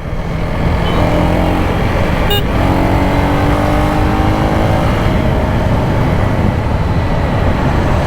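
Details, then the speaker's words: KTM Duke 250 riding after a chain set replacement: steady engine drone with even road rush and no slapping or grinding from the chain; the earlier chain noise is gone and power is back. "अब आई ना power तो। अब भाग रही है solid. सारी आवाज खत्म।"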